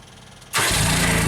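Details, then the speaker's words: JLG Baby Scissor lift engine after installing a new sensor backed out 1 turn, with a proper cranking battery: engine catches instantly without drawn-out cranking and settles into a steady run; clean crank signal, fixed. "Instant start. Nice signal. Love it."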